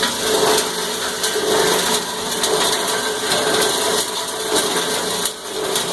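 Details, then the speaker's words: Cumberland granulator chopping about 10 pounds of copper wire. Harsh, gritty chopping that surges about once a second as the material tumbles, then smooths out. Normal grinding under load. "A little bit more noisy when it's grinding. And you can hear it surging as it's rolling it around. And it's smoothed out."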